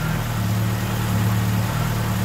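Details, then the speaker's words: 41-year-old Ford Capri, Pinto engine, Ashley 4-branch manifold, after replacing the blowing exhaust manifold gaskets: low, steady, even idle with no ticking or puffing from the manifold; the exhaust is sealed, and the car then passed its MOT. "so that's it exhaust all sorted out and fixed and she's now got a fresh mot so we are good for another year"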